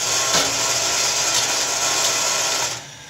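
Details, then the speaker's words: Enco RF-30 mill single-phase induction motor, newly rewired with a DPDT relay replacing the barrel switch for start and reverse, drive belts off: bright, even whine runs steady then winds down cleanly; smooth, healthy motor. "looking successful here I can start it"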